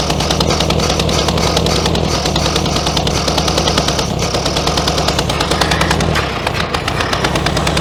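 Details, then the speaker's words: 1966 VW Beetle, not started in over 10 years after sitting in a junkyard, choked by hand over the carburetor: uneven lumpy running with irregular pops and sharp bangs; backfiring. "just um using my hand to choke it a little bit there don't really recommend it so it backfires you can get a hamburger rather well done"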